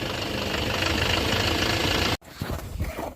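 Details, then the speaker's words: Duramax diesel truck after fuel rail pressure sensor replacement: idle sags to barely running and turns lumpy; air is drawn in through a faulty fuel filter primer plunger. "so either we've got a lot of air or there's like a a suction leak or a vacuum leak somewhere because then this thing is goes down to like bare minimum RPM you can hear it drop to where it's just barely staying"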